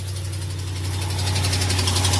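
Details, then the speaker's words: Truck idling cold first thing in the morning, ticky noise only when cold: quick, even ticking several a second over steady idle on both sides, an exhaust manifold leak at broken studs, not a lifter or camshaft tick. "y'all hear that ladies and gentlemen that it was a tick but it's not [Music] it's not from hey it's on this side too"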